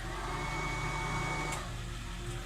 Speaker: And then turn on one of the fans, exhaust fan. So exhaust fan's the two behind me, and you're on high, so turn it on low.